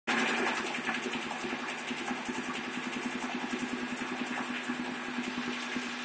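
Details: 2007 Pontiac Torrent AWD, 80k miles, cold start: fast, loose ticking and tapping over idle for about 25 seconds then gone; persists after dealer replaced all valve lifters and crossover pipe and switched to synthetic oil; source unknown.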